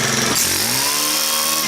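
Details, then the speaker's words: Stihl KM130 4-mix engine after valve adjustment and retest: strong, clean scream climbing quickly to a steady high pitch at full throttle; engine pulls hard with much more power, running healthy. "That's better. Got a lot more power now."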